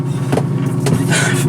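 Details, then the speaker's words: Antique Maytag wringer washer after heavy maintenance including new seal, filled with water, testing drain pump: short burst of steady low motor hum with a couple of light clunks; pump runs smoothly, minor leak. "Ain't leaking too bad. Pumps water. So, yeah, right now I gotta... that's probably good enough, actually. But, yeah, I wanted to make sure the pump worked before I,"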